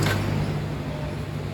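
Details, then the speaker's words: Yamaha Mio i125 scooter, hard starting (push-started), idling low and uneven with shaking misfire; throttle body dirty and cleaned, suspected air adjust issue. "parang nanginginig palado palyado siya yado talaga"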